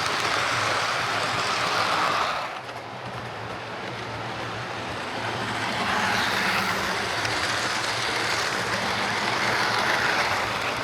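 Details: Hornby HST model power car running after service; one of the pair had its motor replaced and its bogie frames swapped. Steady whirr with smooth rolling and no knocks; both run okay now, normal running.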